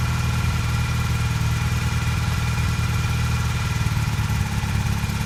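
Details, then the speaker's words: 1982 Honda CB450 twin during restoration, after new petcock and airbox parts, while setting idle: slightly uneven loping idle with occasional stumbles, still a bit rough but steady and better than before. "Just setting the idle is what we're doing now. See if it's still running a little rough, but it's better than it was."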